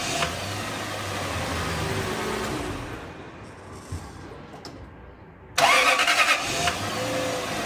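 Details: Lexus 430 after replacing the faulty no-crank starter motor with a used surplus starter: starter turns briefly, then the engine catches and settles into a smooth, even idle with no grinding or clicking; normal start and idle.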